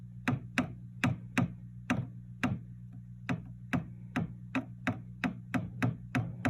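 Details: Fender '67 Bandmaster amp chassis tapped with a chopstick, both channel volumes off and vibrato switch disconnected: sharp taps about twice a second, each setting off a low hum and boom; rumble cause not yet found.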